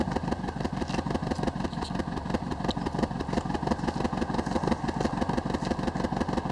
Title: Misfiring WRX